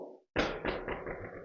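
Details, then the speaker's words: Gravel bike drop/rattle test after fixing a long-running rattle: one dull thump from the wheel drop, then clean silence with no loose rattle. "Und dieses Werkzeug noch mal hinten. Absolute Stille."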